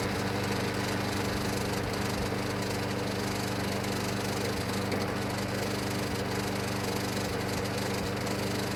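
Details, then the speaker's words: Junk Craftsman mower, new gas, oil and air filter: steady drone with uneven metallic clatter about ninety rattles a minute; blade adapter missing retainer hardware through the bolt, blade loose. "But you guys probably heard all the noise and racket it was making, and that's because I didn't have that retainer piece of hardware there going through the bolt with this changed blade adapter."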